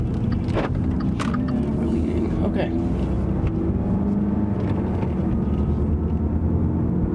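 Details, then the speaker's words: Dodge Dart rear wheel bearing, heard inside the cabin on a quiet road at a constant 55 mph: steady low hum and drone over road noise, unchanged by shifting, louder when swerving loads the right side; worn rear wheel bearing, probably right side. "most wheel bearings when they fail the first way you're gonna notice it is from a noise inside the car it'll have like a humming sound or a whirring sound"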